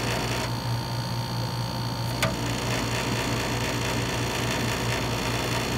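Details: Dometic RV rooftop air conditioner after a trip: loud steady buzzing drone with rattly edge; compressor refrigerant plumbing vibrating, not the squirrel cage fan as first suspected; fixed by wedging foam behind the line.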